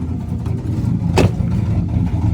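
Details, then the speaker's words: 2001 Chevy Silverado 5.3 V8 4WD: deep chug with an uneven, loping, cammy rough idle and a brief rev blip, misfiring. Also overcharging at 16 volts even after an aftermarket alternator was fitted; cause not pinned down. "it's got a misfiring [Music] issue it's misfiring you can hear it"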